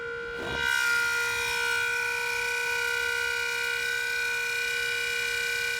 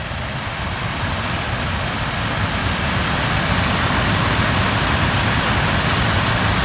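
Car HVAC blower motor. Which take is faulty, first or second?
first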